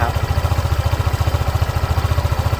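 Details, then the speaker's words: 2021 Honda PCX 150i, 9 months old, 8,000 km, stock engine and exhaust, started from cold: smooth, quick, regular low putter at idle with no ticks or rattles; quiet, steady normal idle. "เครื่องเดินเบานิ่งปกติเลยนะครับเสียงเครื่องเงียบๆนะครับ"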